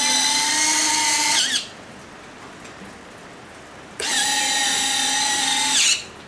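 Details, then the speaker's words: FMS 70mm EDF F-16C RC jet, retractable landing gear after a fix to reduce rubbing: two smooth electric whirs about 1.5 seconds each, steady pitch, no labouring; gear works less hard going up. Normal retract gear operation. "it's still rubbing a little bit here but it's better than it was and I think it's good enough to work you can hear the gear doesn't work so hard going up"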